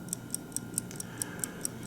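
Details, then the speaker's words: 1950 Buick Roadmaster New Haven dash clock: wound but did not start ticking on its own, probably from lack of lubrication in the gear train; a tap freed it, giving even, crisp ticks about four and a half a second. "so it's been wound but you notice that it didn't start ticking automatically either and that's probably a matter of the lack of lubrication in the train"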